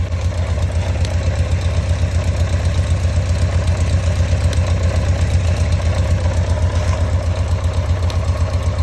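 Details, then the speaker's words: Carbureted motorcycle idling after replacing a home-modified airbox with an original one, primary chain audible: deep even idle thump at steady rate, no hunting or skipped beats; owner says the sound is regular for the first time, perfect. "Le son il est régulier, c'est un truc de fou. J'ai jamais eu ça. Voilà, c'est parfait."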